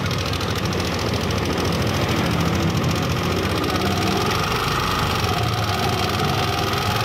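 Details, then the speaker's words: Yamaha NMAX 155 at about 77,000 after long rides: fast light ticking clatter over the idle hum; valve clearance found loose and noisy versus the standard spec. "tanggalin Nam Ong coveran yasin mo yung he cover natin yung clearance luwag maingay"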